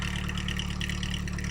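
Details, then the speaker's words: 1992 Nissan 240SX petrol engine at idle: fast, light ticking over a steady idle, identified as lifter noise; gets louder under load on the road. "Now that noise you're hearing there is a lifter noise."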